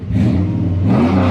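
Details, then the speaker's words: 2003 Ram after a PCM swap, module info and VIN verified, health report all green: engine fires right up and settles into a strong, even low rumble that rises smoothly on a blip, sounding healthy; problem solved. "thing still sounds like a beast so man we got the problem solved"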